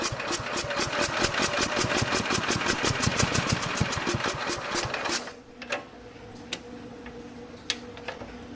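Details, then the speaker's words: 1969 Bolens 850 tractor, Wisconsin S8D 8.25 hp engine unused 3 years, just run and warm: five seconds of brisk, even cranking with no catch; hard hot restart, owner says something still wrong, cause unconfirmed. "Yeah, see, it doesn't want to start again. See, it's having a hell of a time starting again. It shouldn't have that much of a problem starting after it just ran."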